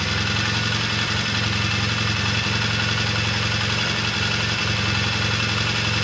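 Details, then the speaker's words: Vintage British motorcycle at first start after repair work, oil pressure being checked: a steady, even single-note beat with no knocks, rattles or misses. It sounds and feels good; timing and a test ride come later. "Right now, I'm just going to call it the day because the bike sounds good, feels good,"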